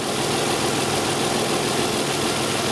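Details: 2002 Isuzu Rodeo LS 3.2 L after correcting its reversed upstream O2 sensor connectors, with fuel-contaminated oil and an oil change needed: steady, even idle with a constant drone and no misses, knocks or hunting; the engine is running smoothly.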